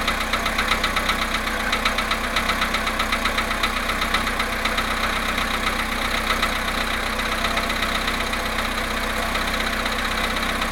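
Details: VW Polo sedan, 17,937 km, cold start at +1.5 °C after standing 19 hours: even, sharp knock about two and a half per second over the engine hum; cold-start engine knock.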